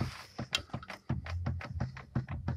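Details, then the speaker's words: Ford Kuga with automatic transmission, half-shaft rocked by hand: uneven hollow clunks in bursts; loose, knocking half-shaft at the transmission. "значит добрый день это а ford kuga стучит ходок подергали за полуось стучит полуось"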